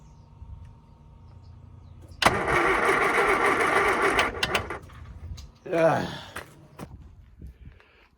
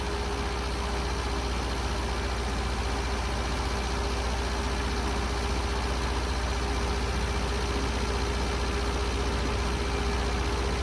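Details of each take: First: Classic Mini (Scamp) not run in ages, choke not working, fuel drained: starter whirs about two seconds then a shorter, faltering burst; never catches, flat jump pack dragging cranking speed. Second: Long-unused Scamp started with a boost pack on its weak battery; steady, even idle with a regular low beat of about three firing pulses a second, no misses or knocks. Owner suspects it may need a new coil and spark plugs.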